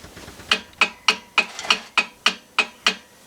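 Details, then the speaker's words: Ford Fox-body rear axle being assembled, turned by hand: crisp, hard clicks about three a second; pinion set too deep so the ring and pinion mesh too tight and lock up (backlash spec 8–12 thousandths). "that thing's all locked up so obviously we are too deep"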